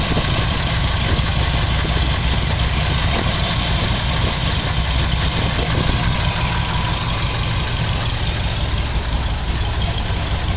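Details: Chevrolet 396 V8 idling steadily with a fast, light tick from the top end, suspected from the head; the noise just started and adjusting the valves did not stop it; cause not pinned down.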